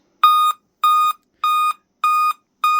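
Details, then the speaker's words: Dell Inspiron 11-3162 laptop at boot: evenly spaced shrill beeps, five-beep code repeating nonstop, meaning dead CMOS battery; fix is replacing the CMOS battery. "it'll basically do that nonstop. And what it means is it's the CMOS battery's dead, which is one of the stupidest reactions I've ever seen,"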